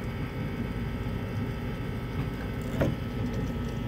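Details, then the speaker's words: Newly installed Taco 007-style cartridge circulator replacing a failed Grundfos on tankless water heater/boiler, system purged of air: smooth steady low hum, no cavitation gurgle. "now you don't hear that cavitation anymore cavitation is the air you"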